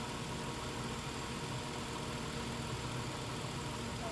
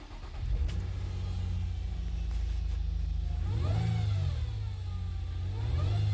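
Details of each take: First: 2017 Nissan Altima after replacing the CVT oil pan and strainer to cure a whine on start and acceleration: engine note stays even and low with no rising whistle or whine; transmission quiet and healthy. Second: 2017 Nissan Altima: a high whine rising and falling with each rev on start and acceleration, over a low engine hum; fixed by replacing the transmission oil pan and strainer.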